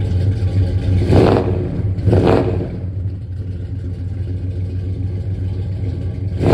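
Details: 1967 Dodge Coronet 440 big-block Mopar V8, revived after 20 years dead, on open headers before Flowmaster exhaust is fitted: loud, raw, deep unmuffled rumble with sharp rev surges and crackle.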